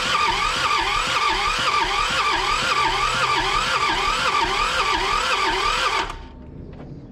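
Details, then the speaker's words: John Deere 650 with two-cylinder Yanmar diesel, sat 15+ years, first crank attempt: fast, even cranking about four beats a second spins freely for six seconds, with no smoke and no start. "seem like it's cranking over pretty [Applause] easy I didn't even see any smoke coming out"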